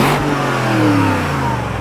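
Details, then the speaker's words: Broken nearly 20-year-old BMW X5 (X5iS) V8 revved: clean smooth rev climbing and falling evenly, no knocks, rattles or misfires; healthy engine. "dude there's some more heating you want a bigger rev hell yes yep"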